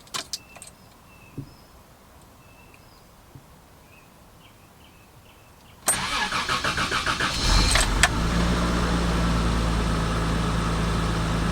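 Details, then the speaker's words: 1989 Toyota Land Cruiser FJ62 3FE engine, first start after desmog/EGR delete: fires promptly, revs cleanly on throttle blips, settles to steady even idle; feels peppier, air now audibly moving where before it seemed stopped up; normal running. "feels a little more peppy already just hitting the uh the gas pedal here. I can kind of hear the the air moving whereas before I couldn't, you know, it was just felt like it was stopped up or something."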